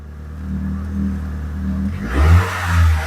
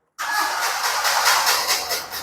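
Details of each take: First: Proton Wira 4G15, previously cutting out when warm, running after the repair. A steady low idle hum, then clean throttle blips that rise and settle smoothly; the engine now starts and runs well. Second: Proton Wira 4G15 that cuts out when warm, cranked after long test running left the spark plugs wet. Steady starter churning for a couple of seconds that never catches or fires.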